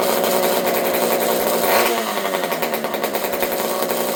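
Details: Old Partner P42 two-stroke chainsaw with a newly built homemade expansion pipe: loud raspy uneven burbling buzz at about four beats a second; rough running, owner suspects lean carb or possible air leak, unconfirmed.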